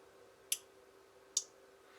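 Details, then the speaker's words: Relay for an added spotlight on a 2021–22 KTM 1290 Super Adventure, voltage spike clipped and checked on an oscilloscope: crisp clicks as the relay pulls in and drops out, virtually no spike. "okay relays closed relays open and as you can see no Spike on the screen"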